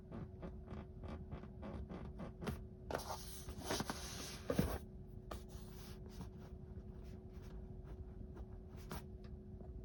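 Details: Tesla interior, quiet cabin: sharp irregular creaks and ticks from the trim roughly every half second; interior creak, source not pinned down.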